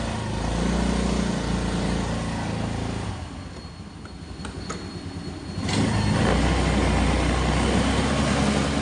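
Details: Old-model Hero Maestro scooter, brought in for an intermittent self-start complaint tied to the battery, revs up, drops to a quiet idle, then revs again with a smooth even buzz. The 12 V battery's voltage rises above 14 V when revved, so charging is normal.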